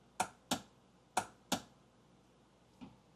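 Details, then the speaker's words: Kawasaki 1100 STX jet ski, battery about 12.39 V, spark plugs out: four sharp, dry clicks from the solenoid box with no cranking. Solenoid gets power but the starter motor is dead; starter replaced. "Okay. So, we're getting a clicking sound. It sounds to me like it's coming from this box here."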